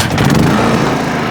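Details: Champion 4500-watt gas generator: loud, steady buzzing engine drone at constant speed with no misses or knocks. It runs normally.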